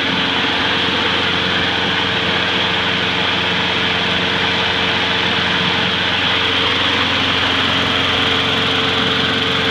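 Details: Salvaged curbside single-cylinder mower, after freeing a stuck carburetor needle and a cleanup, running with the handle tied down: an even, steady drone without misses or surging; running normally.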